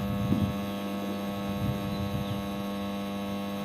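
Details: TD-500 industrial welding transformer after winter storage, unloaded: loud steady deep hum, high no-load current, corner brackets heating up to about 155 °C while the iron core stays cool; shorted turns in the coils.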